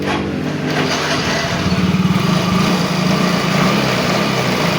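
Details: Yamaha Mio J injection scooter with new fuel pump IC and new rotak still hard to start and fuel pressure dropping; here the engine catches and settles into a quick, even putter of about three to four beats a second with no misses, starting and idling cleanly.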